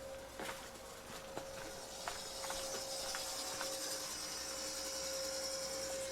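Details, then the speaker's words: Greenhouse louver motors opening as the thermostat (set at 90°F) and delay timer trip: faint steady hum with a few light clicks over a quiet background; louvers open normally before the exhaust fan starts. "there we go see these little Motors they open up the louvers so they're ready to go"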